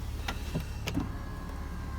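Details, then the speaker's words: Land Rover Discovery 4 power windows going up and down: a couple of soft clicks, then a low, even motor whir without strain or grinding; healthy window motor. "Well, it's all the white, the windows work and up and down,"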